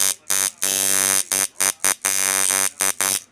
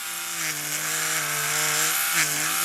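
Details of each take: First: Heavy coil tattoo machine, same spring setup: loud, harsh buzzing in short on-off bursts at a steady high pitch; running normally, just obnoxiously loud compared with a stealth-type rotary. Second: Clone stealth rotary tattoo machine with a ball-bearing motor, running at about 140 cycles a second: a low, rattly buzz with pitch wobbles. The excessive vibration comes from the loose plastic drive piece on top.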